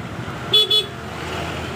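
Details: Honda Vario 125 scooter that had ignition on but no starter, horn or turn signals, after the wiring fault was traced and the connector refitted: two short, loud, high-pitched toots over faint street noise; horn strong and working.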